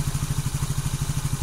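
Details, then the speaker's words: Yamaha X-Ride/Mio scooter engine idling after valve adjustment to 0.06 mm intake and exhaust clearance at TDC: even, steady low thump with no tappet ticking, showing the valve setting is correct (overly tight valves cause quick heating, power loss). "โอเคนี้เพื่อความราบรื่นเสียงครับพี่หมายความว่าการตั้งวาล์วของเราถูกต้อง"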